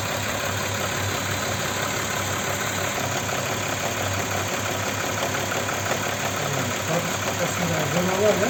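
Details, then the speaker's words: Audi Q7 3.6 FSI VR6: quiet when cold, then light uneven tapping over idle from the rear of the engine under the plastic cover, growing louder as it warms, fading when driven; suspected cam phaser knock. "исчезает сейчас ждём она Ещё громче стучит моё предположение друзья это фазовращатель стучит Вот это характерный стук на неё похоже"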